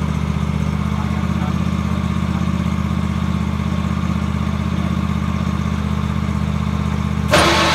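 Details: 47-inch snowblower attachment with impeller, auger and front gearbox removed, rear gearbox and PTO drive belt still attached: rough rhythmic grinding pulse about four beats a second persisting even after replacing the rear gearbox; source unknown, possibly a bearing.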